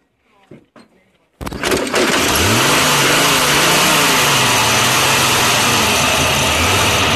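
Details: 1948 BMW 321 on its first start after 20 years, cylinders given WD oil a week earlier, carburettor not original, 12V electrics: brief cranking, then it catches and settles into a steady, even idle with no knocks or misses.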